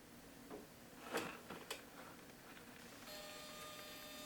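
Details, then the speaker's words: Used Canon L100 digital camera on NB-4L battery, power-on: short whirring grind as the lens pushes out, then startup tones; noisy lens extension, very common, though autofocus and flash work. "Lens noise, very, very common."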